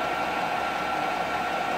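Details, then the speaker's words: Diesel heater installed in allotment shed, running 30 minutes in December cold: even steady rushing hiss with faint constant tone, no surging or stutter; heater running smoothly. "okay so it's now been running for 30 minutes"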